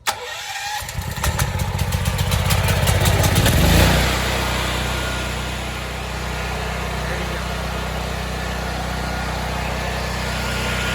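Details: New Firman 9500-watt tri-fuel generator, first start on gas in cold weather: the starter churns for about three seconds, then the engine catches and settles into a steady, even run with no misses.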